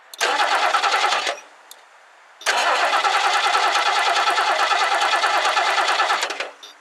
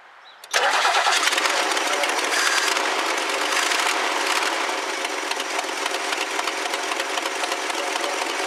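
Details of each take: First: 1969 Lincoln Mark III barn find with carburettor just refitted: the starter turns the engine in two steady cranking bursts, about three beats a second, but it never fires. Owner suspects little fuel reached the carb because most of the poured fuel spilled. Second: 1969 Lincoln Mark III, first start with carburetor refitted after fuel poured in; cranks briefly, catches sharply and settles into steady even run with no knocks or misses; healthy start.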